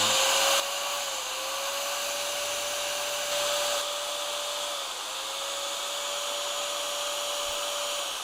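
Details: Bosch GBM 320 corded drill, long-used, after fitting new carbon brushes (old ones worn down to the copper lead): steady high-pitched motor whine at even speed, no sputter or crackle, slight sparking normal while new brushes bed in; motor runs smoothly.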